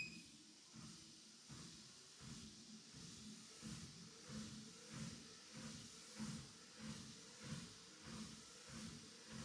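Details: WalkingPad X218 dual-folding treadmill: even belt hiss under steady footfalls about 95 a minute, no clicking or scraping; running smoothly.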